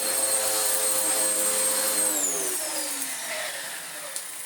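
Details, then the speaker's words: Vax Power upright vacuum (TTI), after belt replacement: brush roll now spins but no suction; motor whines high and steady then sags as it runs down, little pull, filters choked solid. "The brush roll now spins, but, and there's always a but, with a Vax machine, isn't there, it has no suction. And I think the reason is going to be fairly obvious when I show you the filter."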